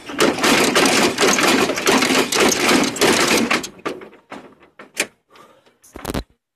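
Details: 1948 BMW 321 on its first start after 20 years, cylinders given WD oil a week earlier, carburettor not original, 12V electrics: busy, rattly firing at a quick even beat, then it stumbles and dies; long-stored engine catching.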